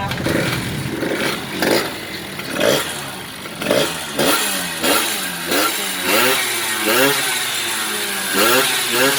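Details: Honda Baja motorcycle, parked one year, with a size-47 piston, stock stroke and a larger carburetor, after a carburetor clean: revs climb and drop cleanly with each blip, crisp and even with no bogging. The bike runs well.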